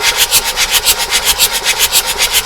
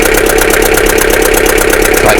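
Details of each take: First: Abandoned Bedford CF van with diesel engine, barn find, oil light going out: steady even cranking about six turns a second with no firing; engine turns over freely on the starter before fuel system priming. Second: Abandoned Bedford CF2 van diesel started after long storage: loud, uneven idle with a hard knock about twelve times a second, seemingly on about three and a bit cylinders; heavy crankcase blow-by, tired engine running rough.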